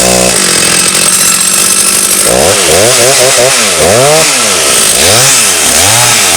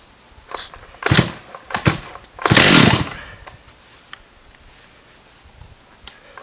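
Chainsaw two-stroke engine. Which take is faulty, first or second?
second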